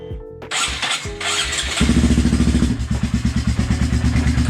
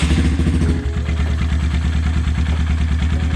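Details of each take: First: High-mileage (20,000-mile) Honda Grom single-cylinder after rebuild and several heat cycles: starts after a few cranks, lumpy idle with a prominent buzz echoing through the bike. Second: High-mileage (20,000 mile) Honda Grom single after rebuild and new header, buzzing cured by torquing a loose, under-finger-tight fastener: deep, steady even idle with no buzz, running cleanly.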